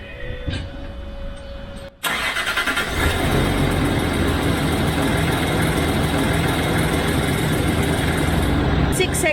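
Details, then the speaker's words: Land Rover Discovery 3 (LR3) diesel on a cold start at 15 °C in the morning. It catches and rattles fast and steadily until oil pressure builds. Low oil pressure came from a nearly new aftermarket FAI oil pump, later replaced with an OEM Ford pump. "so this is a 15 degree cold stop in the morning okay for australia this is an ice cold stuff"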